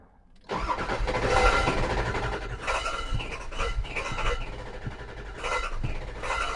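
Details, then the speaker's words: 2002 Ford F250 7.3 Powerstroke diesel after ICP sensor replacement, cranked and started: stumbles with uneven lumpy beat, running very rough, check engine light on; fuel filter suspected. "that is still a crank but it is not happy that is running very rough ah there may be a fuel filter issue I'm getting a check engine light"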